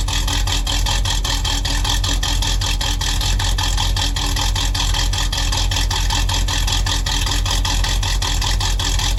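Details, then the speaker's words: 1978 Chevy Camaro drag car, mystery rebuilt cammed 350 small block V8, Muncie M21 4-speed, first fire-up: rapid even exhaust pulses with raspy cam lope, steady smooth idle; runs normally. "Whoa. Yeah. So she runs pretty smooth."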